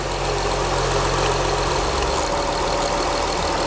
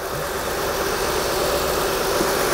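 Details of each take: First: 2004 Acura TL 3.2L after engine replacement and a fix for a dead cylinder misfire: a steady, even idle with a low smooth hum and no knocks or misses; the check engine light is off and the smoke is burning off. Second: 2004 Acura TL 3.2L, first start after an engine replacement with a flashing check engine light: steady idle with a slightly ragged, uneven beat and faint knocking underneath; a misfire, owner suspects a bad coil pack.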